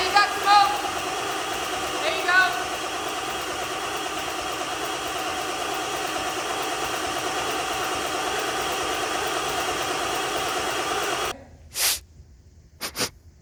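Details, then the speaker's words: Barn-find Ford F350 OBS 7.3 diesel on borrowed batteries. Steady starter churn with uneven puffs and no catch for over ten seconds. The injectors are firing, but the diesel is very stale and the glow plug condition is unknown: cranks, no start. "So, we have fuel being the injectors are firing. If they weren't firing, we wouldn't have that. But the problem is that diesel is super stale."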